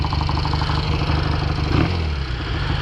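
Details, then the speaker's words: 1968 Triumph Bonneville 650 twin with mufflers with a metallic, resonant note, idling while one side's carb idle screw is turned down: steady, even low thump with a brief blip near the end; settled, normal idle. "I'm sure that muffler's got a like kind of a resonant chamber to it. I'm gonna bump this idle down on this side. I can kind of hear it now."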